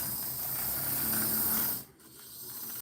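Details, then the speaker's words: Athearn DD40 Union Pacific model locomotive under repair, just after grease was added to the front gearbox: fine, gritty whirr with a light hiss that then cuts out sharply; it is much quieter now, with a little noise left in the rear but not straining the motor. Gearbox noise. "still making a little noise in the rear, but it's not terrible. And it's not straining the motor a ton."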